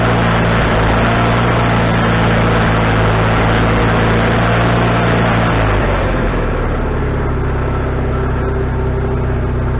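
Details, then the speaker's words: Wood-Mizer LT40HD sawmill engine with a newly fitted carburetor, restarted after cooling down with the idle just set: a steady low drone dips sharply as the load engages, then settles lower; surges on engagement, still needing carburetor adjustment. "all right okay first couple times that I was getting the surge when I engaged the engine and uh not bad but it's not the way I want it"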